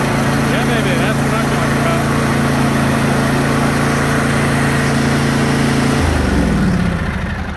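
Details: John Deere D155 riding mower starting after starter solenoid replacement: steady, even engine hum at constant pitch for six seconds, then winds down cleanly; starts and runs smoothly.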